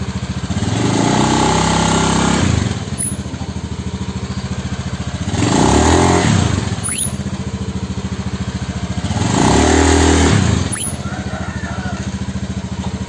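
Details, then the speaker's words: Honda Scoopy injection CVT after repair of initial-pull shudder and loud squeal: three throttle blips from idle, each pulling away evenly without shudder or squeal; clutch now engages smoothly, problem fixed. "teman-teman seperti ini ya ini penyakitnya udah sembuh udah saya cek coba-coba Maju mundur maju mundur penyakitnya udah sembuh ya"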